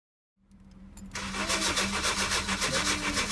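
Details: 2009 Honda Civic with crank-no-start: the starter cranks steadily with an even whirr and rhythmic pulses but the engine never catches; a gasoline-wet, fouled spark plug is stopping it firing and needs replacing.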